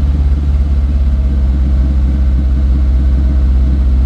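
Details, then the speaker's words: 2008 Mag XT Chinese work truck: fast deep idle with uneven steady throb that doesn't settle; owner suspects idle was turned up to compensate for earlier three-cylinder running, or a vacuum line off. "I wonder if somebody turned the idle up because it was running on three cylinders before turn the idle up to kind of compensate for it a little bit we'll let it run a little longer too see if it settles down"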